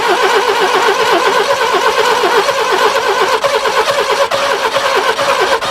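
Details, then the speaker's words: Barn-find Subaru Brumby ute, previously seized and full of water, cranking at about a third throttle: fast, even cranking chuff that never fires, pushing back each stroke; the exhaust is blocked, water leaks at the cat joint, and it is to be unbolted at the cat. "oh just listen listen under this side when i try and start it that's why it's trying to push back can you hear it and actually afterwards so there the exhaust is blocked i need to get it out and unbolt it at the cat"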